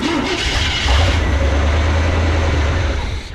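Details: Abandoned truck, old gas, fuel line run directly to pump inlet to test pump: engine cranks at an even rhythm for a few seconds without catching, turns freely; fuel pump confirmed good.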